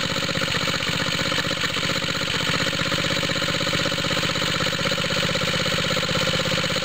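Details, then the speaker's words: Small water-pump rig engine, cold start with choke on, after fitting an exhaust tip: fast, harsh, throaty chuffing at about four beats a second. Owner suspects a head gasket leak, smoke from the head, making it throatier. "I think a head gasket leak right around here. I keep seeing smoke coming out of here. Almost sounds like that makes it throatier."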